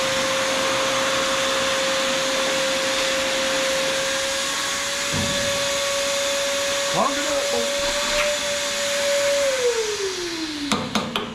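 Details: Shop vacuum used while servicing a Troy-Bilt Pony riding mower, after it sucked up something that clogged it: steady roar with a clear high whistle holding near one pitch, then dropping as it chokes. Clogged intake whistle.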